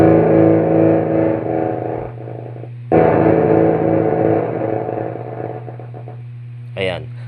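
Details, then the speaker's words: Yamaha bass powered speaker cabinet with built-in power amplifier, clean guitar fed straight in: output comes out gritty, distorted and choked with no top end, over a loud steady mains hum, before repair. "Pero yun nga lumalabas ay gargal distorted tapos parang pigil yung tunog."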